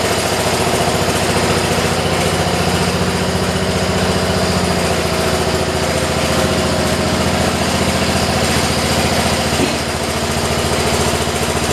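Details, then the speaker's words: 1973 tractor with Kohler K301 single after head gasket replacement (had lost compression) and valve adjustment (0.008/0.017), shrouds and air filter assembly still off. Steady even thump, no misfires, faint light tick; normal running. "Okay, you guys, we just took it out and drove it around. As you guys saw, you got to hear it shut off. It sounds pretty damn good."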